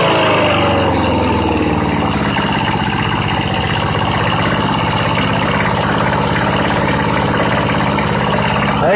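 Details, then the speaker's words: Old Southland 19-inch push mower, on 90-octane pure gas: single-cylinder holds a steady, even idle throughout with no misses, surging or knocks; sounds healthy. "that thing just runs. What do you know? I mean, it's running on its own. Who knows when the last time it was cranked? It actually sounds pretty dang good."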